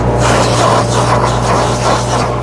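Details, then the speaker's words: Profire dual-chamber truckmount carpet cleaner with a 4-cylinder Kubota engine, in a Nissan NV high top, at first speed: loud steady rushing vacuum roar over a deep, even diesel drone; normal operation. "Here it is, in idle. You can hear the vacuum on it."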